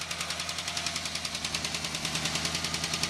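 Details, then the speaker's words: Oldsmobile Cutlass Supreme 260 V8, fires right up and runs on all eight: sharp regular ticking about three per second over a steady idle, following engine speed, really loud on one side; rocker arm noise typical of 260s. "this is mister making a lot of noise typical on these two stitches it's actually the rocker arm locker room to make a noise on this side really loud"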